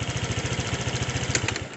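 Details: Honda Vario 125/150 scooter after replacing the spark plug cap that caused hesitation: even, steady putter at roughly twelve beats a second with no misses or stumbles; idles cleanly, back to normal.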